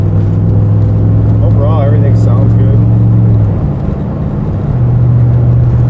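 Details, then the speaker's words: AMW 5.7 Hemi swapped Jeep Gladiator on its first drive after the conversion: deep, even V8 drone with smooth shifts and no ticks, running healthy. "And it feels like it's shifting good. It does feel it feels real smooth. Does it sound healthy?"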